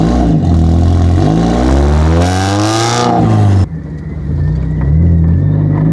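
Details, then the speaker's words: NB Mazda Miata after an exhaust and coilover swap from a wrecked car, engine revving: loud metallic clatter riding on the exhaust note as the pipe bangs against the drop-down cradle/crossmember removed for the exhaust work; exhaust rattle. "definitely got a bad exhaust rattle somewhere. Yeah. It's loud. That is definitely loud."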